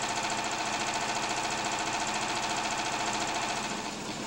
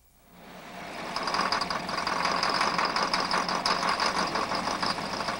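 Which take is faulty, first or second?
second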